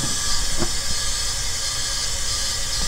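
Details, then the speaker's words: Engine leak-down test after sitting, barely run: continuous steady hiss with faint ticks from the bottom end, air getting into the oil pan on that cylinder; worn rings/cylinder walls suspected, or rings not yet expanded. "we haven't really ran it but we're getting air through the oil pan on that side of the cylinder"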